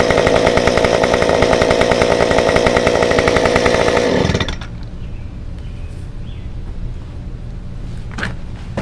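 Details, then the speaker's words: Stihl 193T climbing saw with muffler mod, limiters removed, ~8–9° timing advance, 93 non-E fuel, 16-inch bar; hot restart after 5 minutes off, even steady high buzz for four seconds, no stumbling or surging, then drops off; runs normally. "But anyway, so I shut this saw down about 5 minutes ago, and I'm just gonna show you how easy it is to get it back up and running and how flawless it runs right now."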